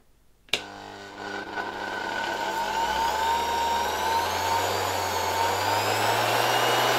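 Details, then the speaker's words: 1970 Zelmer 01 vacuum cleaner with East German Suhl type 1004.2/5 motor, reassembled with greased original bearings that still have play: steady high whine with rough gritty hum, worn motor bearing noise. "Well, you will probably still hear these bearings, because we have already left the ones with some play, but at least they are greased and at least they are still the original bearings."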